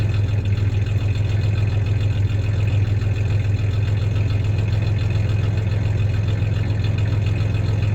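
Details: 1993 Ford Ranger 3.0 V6 idling with a little rev: low steady idle with occasional uneven stumble in the pulse; slight misfire at idle; clanking is bed tie-downs, not the misfire.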